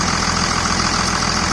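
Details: 2000 Dodge Ram 2nd-gen Cummins diesel after bypassing AC compressor pulley with 65" non-AC serpentine belt, refrigerant lines left connected: steady, even idle clatter, no squeal, chirp or wobble; healthy, normal idle.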